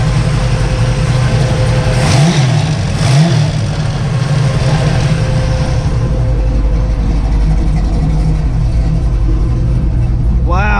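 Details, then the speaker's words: 1963 Chevy Nova, 420 cubic inch small block, after idle speed adjustment: deep, strong note with crisp rev blips, then a steady, even idle; throttle response is very sharp and healthy. "oh listen to that thing it sounds good big nine inch dip oh throttle response is insan"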